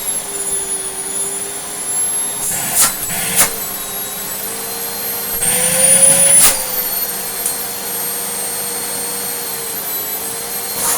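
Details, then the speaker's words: Moulinex E59 vacuum refitted with a scrap Dyson DC25 motor, running at 400 watts: a high, steady motor whine at even pitch with brief handling noise, sounding really good. A slightly odd wind-down may be normal for DC25 motors; the speed control changes little. "a little bit of an odd wind down, but I don't know if that's just what Dyson DC25 motors always have, and I can just hear it a bit more because it's a bit more there. But you know what, that sounds really, really good."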